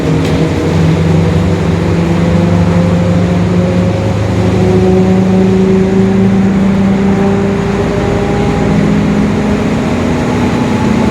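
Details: 2021 Marcopolo Torino S bus on Mercedes-Benz OF-1721 Bluetec 5 chassis: steady low drone under the engine with a humming tone that slides with road speed; growling rear differential.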